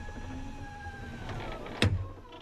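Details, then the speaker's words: 2000 Ford F250 Super Duty: after replacing the original power window motor, a smooth, even hum for about a second, then a sharp pop as the glass seats; the window moves much faster, though the bottom track may be too tight. "action that pop sounds good doesn't it look how much faster they are wow"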